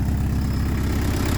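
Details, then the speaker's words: Peugeot 205 turbo diesel with a 4.5 kg TTV lightened flywheel and performance clutch, tuned injection pump: heavy uneven idle knocking and shuddering at each firing pulse, which the lightened flywheel cannot smooth; settings still being adjusted. "Voilà, vous avez entendu ça ? Voilà. Voilà ce que ça fait avec un volant moteur alléger. C'est ça qui est horrible."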